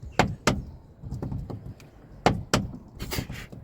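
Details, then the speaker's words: Newly fitted cheap aftermarket door check strap: uneven hollow clunks and light rattles in pairs as the door swings. The replacement strap itself is faulty and clunking, not the hinges. "This is junk. It's clunky. And I'm going to send him this video to see for himself."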